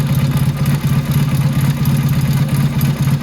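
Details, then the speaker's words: Motorcycle carburetor being tuned with a Colortune plug. Idle mixture screw turned out; the flame is no longer blue. Low, lumpy idle thumping about two beats a second, uneven and sluggish. Rich idle mixture. "Otherwise, she's rich. full rinse. Sounds like crap. Spark plug's probably turning black on me."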